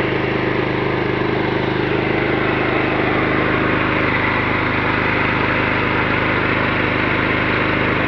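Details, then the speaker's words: Kohler SDMO 6000 HX 6000 W generator powering a whole house (lights, fridges) as the air conditioner comes on at full: steady drone that settles slightly slower under the load, even and smooth; normal. "On entend le groupe électrogène ralentir légèrement, c'est normal. The air conditioner is on load and the electrogenerator is slowing down a bit. This is normal because we have many consumers calling for the current."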